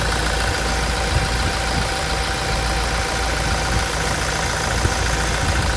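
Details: Toyota Hilux diesel at 350,000 km, after timing chain replacement during a service: a steady, even idle clatter with no misses or knocks. It runs much smoother than before, a normal healthy idle.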